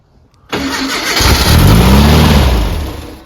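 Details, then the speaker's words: Brubaker Box with newly installed engine and two-barrel carb, first start attempt after priming oil: starter churns about three seconds, roughly three turns a second, no catch; seems not to get fuel, fires with ether. "huh it's like it's not getting gas if I spray a little ether in there it goes of course"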